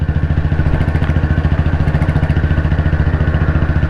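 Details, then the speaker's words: Royal Enfield CI Bullet 350, 2009 build, after engine work, climbing a slope in top gear at very slow speed on constant throttle: slow even thump about 210 beats a minute holding steady under load; normal low-speed pull. "ഈ കയറ്റം ഇതേമാതിരി ഈ സ്പീഡിൽ തന്നെ top ഗിയറിൽ കയറാൻ വളരെ സ്ലോയിലാണ് വണ്ടി എടുത്തത്. ആ ഒരു സ്പീഡിൽ തന്നെ കയറി പോകുന്നുണ്ടോ എന്നുള്ളതാണ്."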